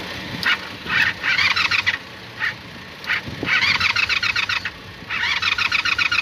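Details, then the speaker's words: Motorcycle that won't start by the button, primed with spray-bottle gas: short bursts of fast, even cranking that never fire because the key was left off; owner says cranking like this means a bad starter solenoid; carb leaking fuel, choke unhooked. "as saying that if it starts like this, like tries to turn over, that means that this starter solenoid is bad. At least I can turn it over, which is a damn good thing."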